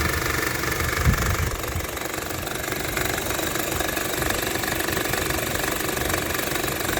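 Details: 2014 Honda Civic at idle: rough, rattly knock about four per second that gets better with the A/C off; owner suspects an engine mount, cause unconfirmed.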